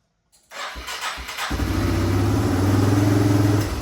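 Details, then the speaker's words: 1997 Yamaha Timberwolf 250 ATV, first start after purchase: cranks briefly, catches and settles into a lumpy, wavering single-cylinder idle; the fuel mixture screw and idle screw still need adjusting. "So, as you can tell, the bike is running now. Um the idle seems to be a little iffy. We need to play with probably the fuel mixture screw and that um idle screw as well."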